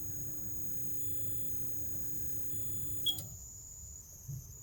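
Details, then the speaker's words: Vokera gas boiler start-up self-test: low hum with faint electronic tones, then a click and hum cuts out, locking out with A01 ignition fault (possible no gas, ignition generator or flame rectification). "So whilst it was doing its self-test, when you initially turn it on, it goes through its own initial sequence and it's detected A01 fault. Now A01 fault on one of these is an ignition fault."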